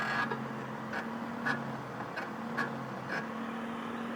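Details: BMW M52 engine: quiet hum with a sharp, light, steady tick roughly every half second or more; ticking noise of unknown origin.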